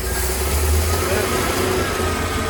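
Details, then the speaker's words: Chevy carbureted box truck "Big Blue", just started after ether once fuel reached the boosters: lumpy, uneven low idle rumble with a big backfire; running rough, cause not yet known. "It lives. And it sounds like crap. It smells like crap too. Woo! That was a big backfire."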